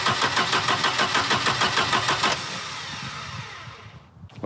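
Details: Volvo 240 after timing belt replacement: the starter spins briskly, about three compressions a second for two seconds, but never catches; the distributor cap points are worn, and the ignition module contact is faulty.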